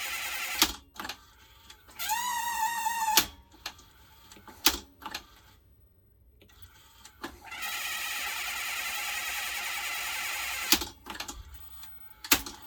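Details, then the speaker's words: 1982 Panasonic NV 366 VHS recorder, belts known bad, tape inserted: clicks and clunks with short motor whirs that stop and restart, cycling without loading; worn, slipping belts suspected. "i still think this is belts still think this is belts"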